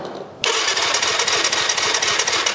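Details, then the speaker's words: Kawasaki KFX 450 quad with KXF engine cranks fast and steadily but never lights; no spark found, owners suspect an electrical problem or an unseen kill switch. "il y a pas d'allumage. Il y a pas d'allumage."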